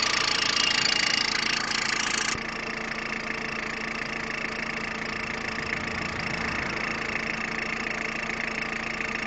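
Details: Peugeot 106 1.5 diesel (11/2002), 130,000 km, timing belt done at 73,000 km: idle with a steady, quick ticking clatter about four a second above the engine note; abnormal engine noise at idle, cause unclear.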